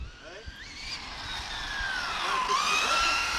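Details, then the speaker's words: Rlaarlo AK917 RC car on its first run, on 2S: thin whine rising and falling with speed over a rough rolling rasp; car feels like it runs with the handbrake on, and the driver blames the all-metal transmission. Drivetrain whine, cause unconfirmed. "Ah non, c'est la transmis. Comme tout est en ferraille dedans."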